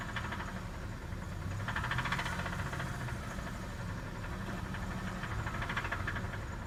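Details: Cold engine revved twice, hard rhythmic jackhammer-like knock rising with revs: terrible rod knock from a worn rod bearing.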